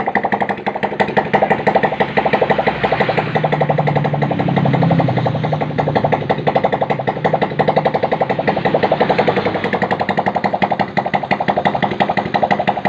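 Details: Honda Supra Fit motorcycle after service, cam chain tensioner cover refitted: fast, regular putter at idle with a brief rise in revs, no chain slap or ticking; small single idling healthily.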